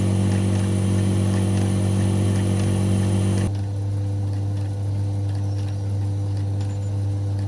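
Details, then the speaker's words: AEG Electrolux Lavatherm 59800 condenser dryer, a few years old, not heating: a steady low hum but no air rush, because the blower fan is stalled; the heat chamber reads 36° and its pipes are hot, but no heat reaches the drum. "But there's no heat going into the actual drum."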